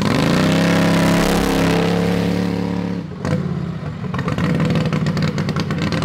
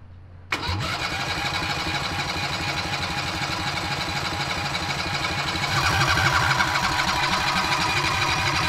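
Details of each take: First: Modified Harbor Freight 670cc V-twin (about 55 hp) drag rail kart, revived after sitting. A coil was replaced after contacting the flywheel magnet carrier and its gap set wide; it now fires right up. A strong, even note rises with throttle, drops, then settles steady: normal running. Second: Harbor Freight 670cc V-twin (modified, ~55 hp) on a mini drag rail, reassembled after sitting since coils contacted the flywheel magnet carrier; starter cranks evenly ~8 s with no firing pop: no spark, owners suspect coils gapped too much.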